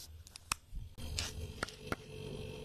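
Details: Single-door refrigerator that wasn't cooling at all, after repair and plugged in: steady low, smooth compressor hum with vibration and a faint even tone, plus a few handling clicks; line warming, refrigerant circulating. Normal compressor running.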